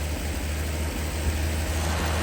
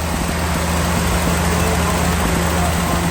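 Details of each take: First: Slant six in a Lull machine, revived after sitting all winter, now on a swapped-in electronic ignition module and distributor; low, steady rumble with an even idle and no misses or knocks; timing slightly advanced, giving a high idle. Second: Lull telehandler fitted with a Mopar slant-six electronic ignition module and distributor: a steady, smooth, even idle that runs noticeably fast with no misses. The high idle came from timing being a little advanced, later corrected with a timing light.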